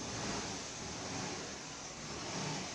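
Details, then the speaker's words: 2014 Honda Lead 110 scooter after repair: camshaft bearing replaced to cure a loud engine noise; smooth, even idle with steady low hum, no knocks or ticks, noise gone; normal idle. "o barulho no motor ó sem barulho nenhum só o normal dela"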